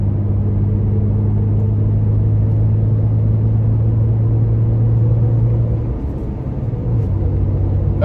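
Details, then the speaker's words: Toyota Tacoma with aggressive off-road tires at about 60 mph on smoother pavement: steady, even low hum and rumble. Really not too bad, normal. "we're traveling it probably somewhere in the 60 mile an hour range give you a little bit of an idea what what this sounds like again really not too bad"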